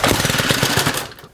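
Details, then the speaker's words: Stihl FS91R trimmer at idle: rough, rattly two-stroke idle that stutters and dies within a second while the trimmer head keeps spinning when it shouldn't; clutch engaged at idle. "keep an eye on the spool idea and you'll see it's always turning so even if you pull it over it wants to spin so the way these work is that when the engine's idling it should not be spinning"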